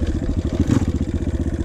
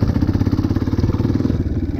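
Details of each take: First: Dirt bike ridden casually in second to third gear, upshifting to stay in low to mid rpm: quick, even single-cylinder exhaust pulses at steady mid-range speed, running cleanly. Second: Dirt bike shifted up through first to fourth gear too early: engine lugs at too low rpm under load, slow heavy chugging with clicking, clattery knocks.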